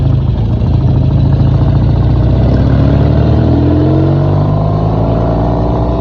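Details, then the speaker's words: Old-school BSA chopper on its first road trip, chain occasionally hitting the oil tank and inner primary case: strong, even exhaust note, revs climbing smoothly without misses, knocks or rattles; engine running well. "It It seems running pretty good, though. >> Yeah, it sounds good."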